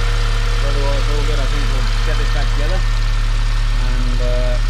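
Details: 2009 BMW E87 118i N46 four-cylinder after replacing the Valvetronic motor and eccentric shaft sensor for rough running, stalling and fault 2851: smooth, even idle with no stumbling or hunting, some oil smoke from the exhaust, otherwise all good.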